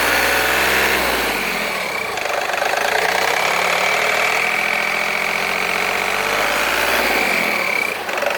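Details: VW Polo 9N3 engine at idle: rough, uneven rattle with a faint high whistle over it; strange noise of unclear source.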